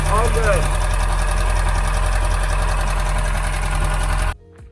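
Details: Boat inboard engine with new exhaust bellows and new water pump, after gasket maker on leak: deep steady low rumble at idle, even pulses, no knocks or rattles; idles normally.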